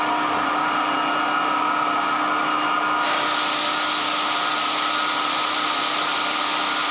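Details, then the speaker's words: 1924 Alexanderson alternator SAQ at Grimeton during startup: steady high hum with fixed whining tones, then rushing air as the cooling fan starts before keying; motor speed held constant by control resistor; normal running. "of course we must have the cooling fan running before we are keying the transmitter"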